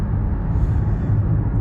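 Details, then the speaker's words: Nissan Rogue CVT after a third repair to cure clunks when engaging Drive and Reverse and a gearbox hum: smooth, even low road rumble while driving with no clunks on take-up. No errors, so the transmission is behaving normally. "ми всі видимі дефекти прибрані помилок немає ударів немає їде класно"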